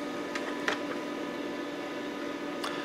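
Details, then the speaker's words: Micron Home MPC with cover off on the bench, first boot since the factory, in the Windows 95 setup wizard: constant droning hum with a fixed whine on top, a super loud PC cooling fan. "This is rather exciting. I'm sorry all you can hear is a super loud fan noise."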